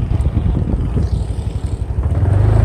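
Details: Honda Vario 125/150 scooter riding after the loose front panel (dasi) was refitted with its two bolts; an even low engine drone with some wind, and no buzzing or rattling from the front panels.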